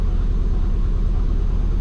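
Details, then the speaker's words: Twin turbo Subaru after base timing rescale, warming to about 162 coolant: steady low rumble idling around 1000–1100 rpm instead of target 900, smooth; high idle, owner suspects injectors can't go lower. "It's at 1100 at the moment, and it's actually feeling quite smooth, so I think we might be good to drive. Alright, so we're at 162. We're hanging around 1,000."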